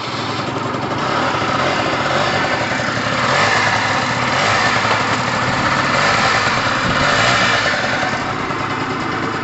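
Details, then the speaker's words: Pulse Force 50cc GY6 two-stroke scooter, first test run just after cold start: even, crisp buzzing beat with no misses or rattles; engine judged good and solid, needs warming. "mean i think it's really safe to say that that is a good solid engine uh really safe to say that when it starts like that it's two-stroke it obviously needs good warming"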